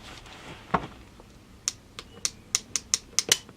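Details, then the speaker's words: FWB 65 air pistol, reassembled with some parts replaced, careful cocking test: crisp light ratchet clicks ending in a firm click as the sear engages. The mechanism works correctly. "sear's engaged, I can hear that. Place the side lever back, it's all engaged okay."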